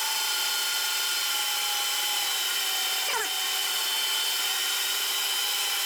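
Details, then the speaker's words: Lathe turning pins for mini digger buckets, 1.5 mm cut at 0.16 mm per revolution feed; steady high whine with cutting hiss, the motor's pitch sags sharply midway then recovers, bogging under the cut. "And I hear the motor of the lathe stalling. So what's happening? I don't know."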